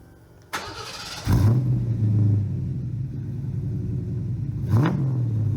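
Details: 1990 Fox 5.0 V8 daily driver, started after the snapped stainless exhaust piece was re-welded: brief crank, catches with a deep steady burble, settles into an even idle, then a clean blip. Healthy.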